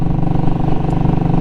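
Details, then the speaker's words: Royal Enfield Classic 500 riding at about 50–60 mph on a cold ~50°F morning: steady single-cylinder thump, even and regular, with the earlier squeak now gone; normal healthy running after the squeak was fixed. "so yeah do you hear it do you hear it no more squeak"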